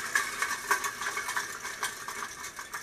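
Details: Pedal car free (non-drive) rear wheel spinning: light, uneven clicking and rattling from loose balls chattering in a cheap stamped-in outer bearing race, rough original wheel bearing.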